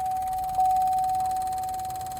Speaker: now if i do it on this side lock doesn't work unlock doesn't work and you can even hear that it's not even making no sound just this weird sound now if i cut on the car it does it harder can you hear